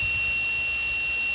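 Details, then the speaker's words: Overheating brushless motor after replacing bad bearings that were noisy and ran warm: steady even high-pitched whine with no grinding, rattle or roughness; runs smoothly after repair. "I put these new bearings in here and here I would let you hear it it doesn't you can that's actually pretty good now"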